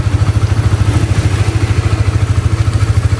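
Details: Honda CBR (new model) after the cam chain tensioner was replaced to cure a ticking noise. Even exhaust pulses at about two hundred a minute, no clatter on top, so it idles smoothly and sounds healthy.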